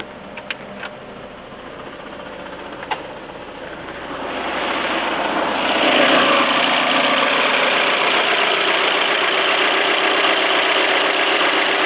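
Quiet at first, then the engine settles into a sharp, regular clack about four times a second over the idle; source not pinned down.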